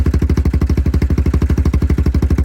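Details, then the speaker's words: Yamaha Grizzly 660 after storage, first cold start on choke with new aftermarket Amazon carburetor and old fuel: steady, even thumping about twelve beats a second, no misses or knocks; idles cleanly. "Choke. First lick ain't bad, is it?"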